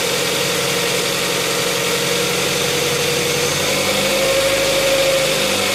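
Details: 2007 Tucson 2.0 16v GLS, noise on morning cold start that disappears after about 10 km of driving: light, fast ticking about three per second over a steady idle; top-end tick, mechanic says lifters (tuchos), unconfirmed.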